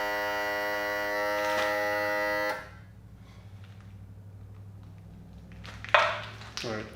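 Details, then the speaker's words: 1991 Johnson 50hp outboard, power trim/tilt tested after repair but before refilling fluid that was dumped out: the trim motor buzzes steadily and strained for a couple of seconds, then stops. Pump low on fluid; works after refilling and bleeding the air. "moment of truth it needs fluid i haven't put the fluid in there i dumped some out of it"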